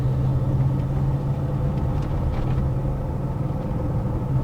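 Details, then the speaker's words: BMW X5 4.6is with ZF 5HP24 automatic, road test after repair for slipping under load: steady engine pulling uphill, revs drop cleanly into the next gear with no flare or slip; very smooth shifts. "oh she's smooth too very smooth"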